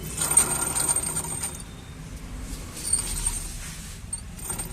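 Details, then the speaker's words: TVS Jupiter scooter, clutch cover open: irregular high-pitched chir-chir chirps, about three or four a second, from the spinning clutch pulley; rusted, jammed, sticking bearing. "आ रही है चिर चिर चिर की आवाज है चिर चिर चिर की तो इसको ओपन कर लेते हैं हम फिर देखते हैं क्या क्या कैसे आवाज है"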